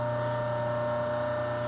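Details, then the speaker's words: New RIKON 80-805 bench grinder running: steady hum with fast faint ticking as the tool-rest-supported dresser touches the out-of-true wheel; light pressure gradually trues the face. "my dresser is supported completely by the tool rest and you hear the ticking that is telling me I've got to face the stone that is not perfectly true"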